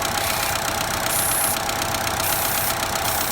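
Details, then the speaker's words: 2012 Chevy Cruze 1.4 Turbo running a little rough with code P0171 (lean): a steady airy hiss over idle from the failed, leaking PCV valve on the valve cover sucking in extra air. The fix is replacing the whole valve cover. "can hear the air being sucked in through that Valve I guess but we have a bad piece of these out"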